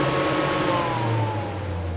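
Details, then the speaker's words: Off-grid cabin whole-house DC fan on PWM motor speed controller at medium speed: steady airy whoosh with soft motor hum easing slightly lower in pitch; runs smoothly. "Or if you want it to work fast, medium speed,"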